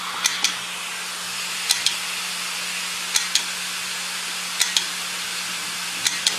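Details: Hard drive clicking: sharp paired clicks repeating about every one and a half seconds over a faint steady hum, a drive stuck clicking.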